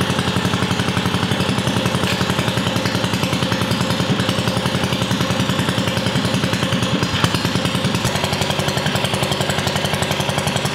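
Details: Freshly built Tillotson 212 in a mini ATV, with Hot265 cam, billet rod, side exit header, RLV muffler and 22mm Mikuni carb; rapid, crisp single-cylinder popping at a brisk, steady idle, firing evenly with no misses or knocks; healthy.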